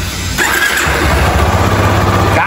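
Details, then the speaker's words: Yamaha Fazer 250 after the engine was rebuilt with a new cylinder, having shown engine noise and a bad cam chain tensioner; catches quickly and settles into a clean, even idle with a brief rev and no tapping or rattle. "mas ficou sem barulho nenhum mesmo. Incrível."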